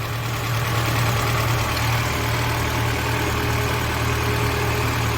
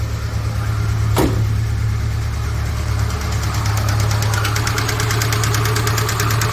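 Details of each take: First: Lada Niva after engine knock repair, first trial start with hydraulic lifters still filling with oil: steady, smooth idle with low even hum, no clear ticking or chain slap; noises mostly gone, normal idle. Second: 2008 Mitsubishi Outlander, 166,000 km, due for timing chain, cold start: quick, even tapping about three times a second locked to engine speed; noisy hydraulic lifters, worse when cold.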